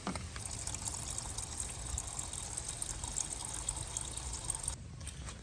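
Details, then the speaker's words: Chevy Suburban started briefly, not warmed up: steady trickle of coolant over faint engine hum, leaking from underneath the radiator and running down the frame; radiator to be replaced. "it should start leaking pretty quickly once I started so we underneath the vehicle you guys see us run down on the frame but it's coming from underneath the radiator in this vicinity"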